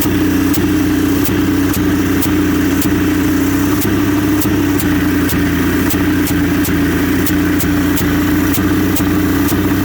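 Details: 1981 Johnson 200 hp V6 two-stroke outboard idling steadily with an even airy hiss over the engine note and faint sharp ticks about every second; otherwise strong, cause of the hissing not yet traced.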